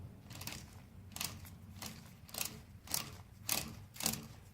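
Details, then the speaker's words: Pump core check, drive shaft turned by hand: crisp clicks about twice a second as rollers hit the cam, showing the drive shaft is intact and head and rotor are turning, not seized. "that's the sound of the rollers hitting the cam. That indicates that the drive shaft is intact and that the head and rotor are turning."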